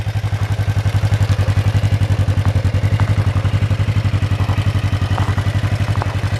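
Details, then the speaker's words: 1996 Kawasaki Vulcan 500 V-twin after carb work and reassembly, with about 3.5 quarts of oil: steady, even low thumping idle with no misses, knocks or rattles. Carbs are not leaking and it is not smoking; it runs well. "carbs are doing good they're not leaking or anything it's not smoking pretty good running bike actually"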